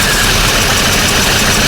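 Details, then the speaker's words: VW Golf 7 GTI engine after rebuild, first start, turbo pipes not yet fitted: even, steady idle with no skips; no misfire, running smoothly, slow to rev without boost. "Car starts nicely. Sharp. Doesn't sound like it's got a misfire."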